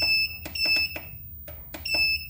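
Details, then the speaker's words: 1000W pure sine wave transformer inverter with charger, setting program 20 back on: short, high, sharp beeps in an uneven string, one per button press, quiet background; ordinary keypad feedback, owner finds it too noisy. "Nah, saya rasa ini bunyinya terlalu berisik. Kita coba cari untuk bunyi."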